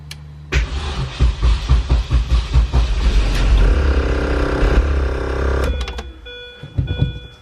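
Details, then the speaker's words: Mini just reassembled (coolant tee piece fitted), on a battery jumper: uneven cranking chuffs for a couple of seconds, then it catches and settles to a steady run before shutting off; starts fine, though something smokes under the hood and clutch has no pressure. "alright guys so the cart does run"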